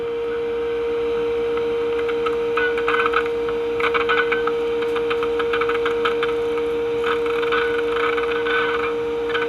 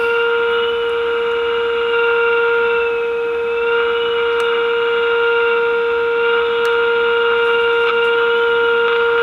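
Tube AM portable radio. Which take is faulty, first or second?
second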